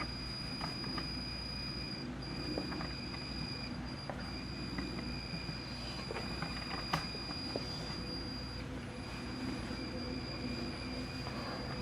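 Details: Pioneer CT-W840R cassette deck: a thin, steady high-pitched squeal holding one pitch over a rumbling background; cause unconfirmed, a belt suspected.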